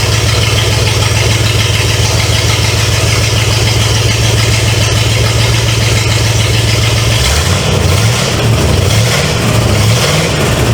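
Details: 1970 Pontiac LeMans with Pontiac 350 V8, first start after decades abandoned: loud open-manifold lope at idle, then a few throttle blips, no knocking under the rumble. Smoke is from oil put in cylinders to free rings. Normal idle.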